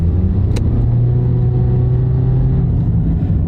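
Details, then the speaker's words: Nissan Altima with CVT at 296,000 miles on a used second transmission, exhaust leak and catalyst code; under gentle acceleration a steady low droning "woo woo" hum from worn front wheel bearings. "now I can hear that the front wheel bearing are starting to go that's the front wheel BS which is typical I mean it's almost got 300,000 miles on it"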